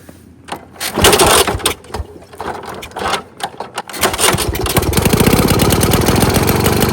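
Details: 1922 Neracar motorcycle, 200cc single-cylinder, kick-started with the throttle lever slightly open and the compression release used: catches after a few thumps and settles into a quick, even putter; normal running.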